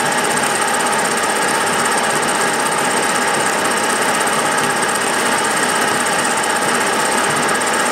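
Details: Milling a vee-block from dense old forklift-tine steel with carbide cutters, an angle cutter and coolant, taking 1 mm cuts: fast, harsh rattling chatter over the steady cut with no smooth stretch. The cutter hammers from a cheap out-of-round Chinese arbor.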